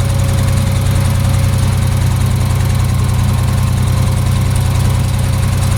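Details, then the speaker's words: Ford 3000 tractor three-cylinder just after solenoid replacement, still running on two cylinders, a recurring problem that clears after a few minutes, cause unknown: uneven lumpy idle, loping about three and a half beats a second, one cylinder dead; engine misfire. "Yeah, it's definitely still running on 2. Usually here in a minute it'll start to take off."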